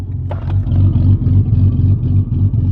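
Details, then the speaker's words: Ford Fairlane with turbo SOHC engine, driving after differential repair following destroyed axle bearings; lumpy pulsing exhaust under load with uneven beats and surging; diff sounds good, engine runs rough because it still needs tuning. "diff sounds good this is running bad because it needs to tune still"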